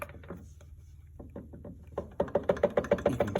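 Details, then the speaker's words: 2004 Yamaha YFZ450 engine torn down over a bad running rattle: sharp even clunks about three per second as the crankshaft is rocked, showing excessive play in worn crank bearings, believed to be the noise. "hear it and that i'm sure was the noise"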